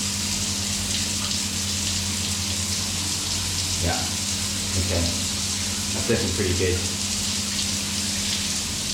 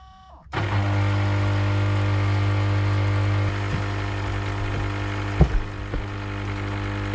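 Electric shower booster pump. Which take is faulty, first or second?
second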